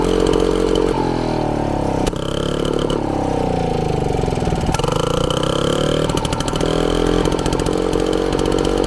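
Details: Frazer tiller small two-stroke on 32:1 mix, magneto ignition installed and timed, first run in over 30 years: fires up, revs rise and fall cleanly with crisp, even buzz, no misses; runs healthy.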